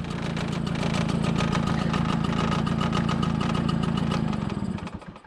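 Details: 1987 MBK 51 Magnum two-stroke moped, before renovation: quick, even two-stroke popping at steady idle, about four beats a second, no rattles, until switched off; healthy.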